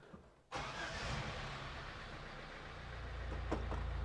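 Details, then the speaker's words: 1973 Toyota Hilux, abandoned about 20 years, started after fresh oil and coolant, oil pressure shown on the gauge: it catches after a short crank and settles into an even idle that slowly firms up. Normal start and idle. "all right old tractor engine sounds pretty good"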